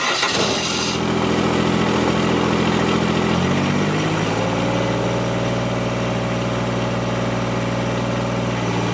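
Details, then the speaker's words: Kubota GR2110 diesel mower after topping up low hydraulic fluid in the gearbox: short crank, quick catch, then steady even idle with no misses or knocks; running very well, hydraulic deck lift working. "oh well I have to say I'm pretty pleased with this it's uh it's running very good"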